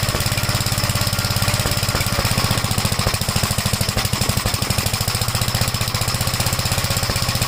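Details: 1956 Gravely Model L single-cylinder after choke start at about 3/4 throttle, throttle lowered: steady fast chugging with stumbling pops between firings; runs rough, smoked at startup, plug oil-fouled; owner suspects top-end/valve trouble, not confirmed.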